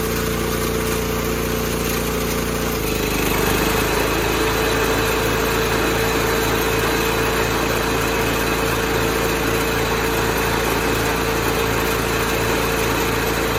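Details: 1986 John Deere 216 lawn tractor single-cylinder engine after carburetor cleaning and PTO adjustment, driving down the driveway: steady, even beat at constant speed with no misses or surging; runs normally.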